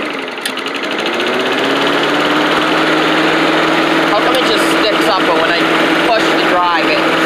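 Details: Old Rover Turbothrust mower built in Brisbane, Australia, just started on a second try, its 12-volt generator working: a loud roar settling to an even buzzing run with no misses or surging. Normal running.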